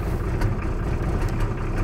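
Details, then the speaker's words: Nissan Patrol Y60 diesel after replacing the power steering pump (previously a noise tied to engine speed), system being bled: even steady idle with no whine or groan from the pump; steering now light. "déjà la pompe ne fait plus de bruit"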